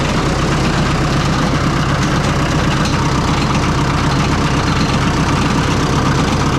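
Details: Oliver 66 diesel tractor at rough idle after an oil change to clear fuel-contaminated oil; an uneven light tick rides over it as a cracked fan blade clips the shroud each turn, later breaking right off.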